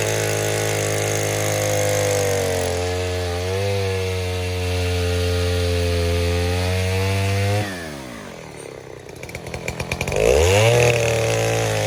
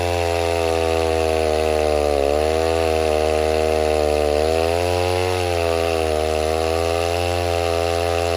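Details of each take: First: 070 clone chainsaw with 42-inch solid bar and chain, first use, cutting white oak firewood: strong steady two-stroke howl holds pitch through the cut, then drops and revs back up cleanly; well-running saw. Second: 070 clone chainsaw with 42-inch bar, first run cutting oak firewood: steady high buzz whose pitch sags in the cut every couple of seconds and recovers slowly; bogging under load, owner suspects the carburetor setting, unconfirmed.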